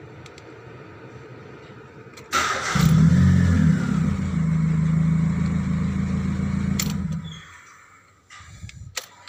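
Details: Proton Persona 1.6 cranking, catching and idling with quick steady tick about four a second over low hum; exhaust leak.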